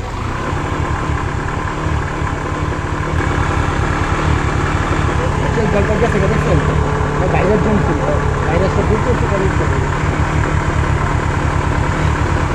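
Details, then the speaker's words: Yamaha FZ V3 BS4 motorcycle with no pickup, check engine light on, fuel pump already checked OK: engine holds a steady flat idle and never climbs in revs when throttled; cleared by an ECU reset. "তো আপনাদেরকে তো দেখালাম যে আরপিএমটা উঠতেছে না।"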